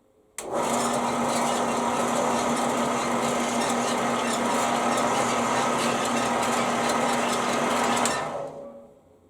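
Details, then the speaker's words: Band saw running with a freshly brazed bi-metal blade that has a slight hump at the joint: a steady, even whir with a light squeak that is normal for this saw, and no knocking or rubbing; running smoothly. "that seems to be running quite nice despite that little help I was referring to that may not be a big issue at all I squeaking your hearing is just the nature of this soul"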